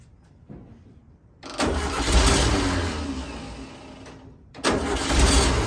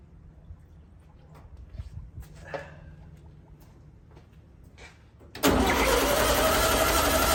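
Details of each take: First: 1964 VW Beetle air-cooled engine, first start after 10 days of work, with a temporary electric fuel pump and static timing: catches and settles into a steady, even idle with no knocks or misses; sounds healthy. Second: 1964 VW Beetle air-cooled engine, cranking after priming with gasoline through a starter that came with the car. The starter churns steadily and the engine never fires. No fuel is reaching it, with the original fuel pump suspect. Cranking, no start.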